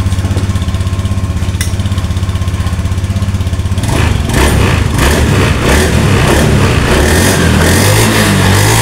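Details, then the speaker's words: Scooter after fixing a fuel pump that would not hum at key-on, pump pressure about 50 psi; pump now hums, then a steady starter whir, a clean catch, an even idle and smooth throttle blips; starts and runs normally. "Nah, di sini dengung Pak ya. Tuh, dengarkan. Oke, sekarang starter. Nah, nyala Pak."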